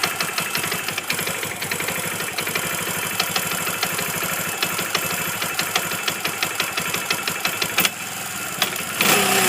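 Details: Kawasaki motorcycle at idle: light, uneven tapping about three per second over the idle; owner is sure it is the clutch sliding on the crankshaft (possible missing washer), unsure if worsening.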